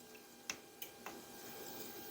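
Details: Amazon 8kW Chinese diesel heater in a garage, fuel pump primed and temperature set, pressing on for first start: a few sharp, light clicks. Normal dosing-pump ticking at startup as the fan comes on.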